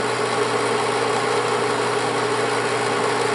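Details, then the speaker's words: Bell & Howell Autoload 8mm film projector running reverse to rewind: steady even motor hum with smooth mechanism hiss, no knocks; rewinds normally. "le vamos a dar ahora que corra hacia sentido contrario del reloj. Aquel es el que está rebobinando, recuerden."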